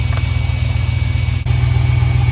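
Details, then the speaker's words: 1973 Dodge Polara 440 V8 ex-Washington State Patrol car with Thermoquad carburettor, during engine health check (vacuum reading slightly off): thin steady high whistle over the deep even idle; cause unknown, apparently always done it. "it has a really really annoying whistle noise I'm not sure what that is always done that apparently"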